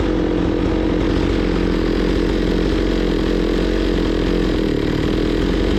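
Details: Zomax 5020 two-stroke chainsaw, carburetor cleaned but keeps dying; loud raspy high buzz running fairly steady, before mixture screws are set.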